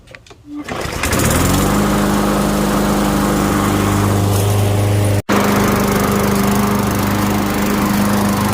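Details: Craftsman M210 self-propelled push mower after replacing belt and blade: single-cylinder starts and settles into a steady even drone with stable pitch, no knocks or slipping; normal running test.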